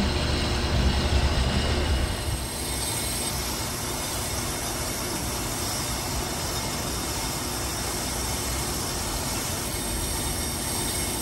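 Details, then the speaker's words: Brake lathe machining a 2008 Ford Flex brake rotor on slow speed, final finishing cut: a steady, even whir with a faint high cutting hiss and no chatter. Normal, smooth finishing cut. "Time. And during the slow cut, it's always a good idea to walk away and do something else."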